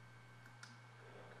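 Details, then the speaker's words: Hard drive that beeped/buzzed from heads stuck to platters, after unsticking the heads and refitting the cover: steady low motor hum with soft head ticks as it spins up and runs normally. "Okay, the moment of truth. It sounds good. The motor is spinning."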